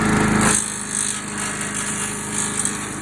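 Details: Troy-Bilt 5 hp chipper/shredder/leaf vac that sat for years, running after a fuel line replacement and carburetor cleaning: steady, even small-engine buzz with whirring rotor and no misses or surging; runs clean and smooth.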